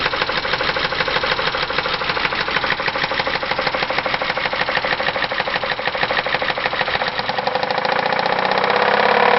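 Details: 2001 Chrysler Concorde, Mopar 2.7 V6 at 108,000 miles: a rapid, steady knock of about three beats a second over the idle that grows louder as revs rise, the known 2.7 knock attributed to oil sludge from design flaws.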